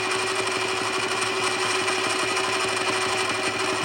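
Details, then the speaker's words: Hand milling machine at 720 rpm, conventional milling nearly half the cutter depth on a steam engine part: even, rapid, chatter-free cutting buzz with a steady spindle tone; smoother and better for the machine than the earlier climb cut. "And you can hear the difference in that once I start engaging the cut. I think this is the better way to cut for the hand mill. RPMs are 720. Nice and smooth with that one."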